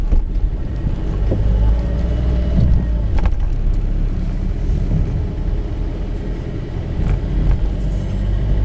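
Steady road rumble with a few dull clunks from the front end; the strut top mount bearing is no longer turning freely.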